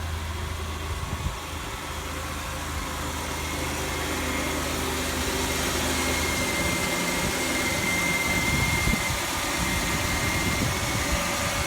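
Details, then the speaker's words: 2006 Chevy Impala after sitting two years, first start after an engine degreaser detail: quiet, even idle hum with a faint steady hiss, no ticking, stumbling or smoke; normal idle. "I swear to God, this car sounds like it's running it, too."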